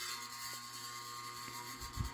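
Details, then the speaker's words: 1955 Emerson 77648-SO 16" oscillating desk fan, capacitor motor, aluminium blades, started on high: low steady hum with a thin buzz from the loose badge vibrating at start-up, then quiet once running; harmless badge buzz. "That buzzing is just the badge. It does that when it starts up, but once it gets running, it's actually quite quiet."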